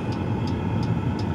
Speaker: The clicking sound is the fuel pump and that turbine sound is the heater